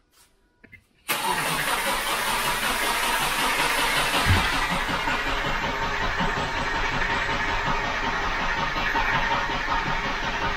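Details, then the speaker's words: 2005 Subaru Outback with low compression on one cylinder, weak battery; after a click the starter spins the engine at a steady even pace with no uneven or heavy beats; normal, even cranking. "okay we're gonna hook up the charger to it but it sounds good and even nice even crank"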